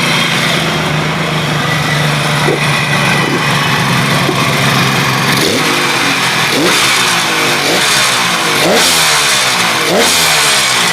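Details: KH250 three-cylinder two-stroke motorcycle revived after 32 years in storage, now fully restored. Crisp, buzzy repeated rev blips that pull cleanly with no knocks or misfires; running normally.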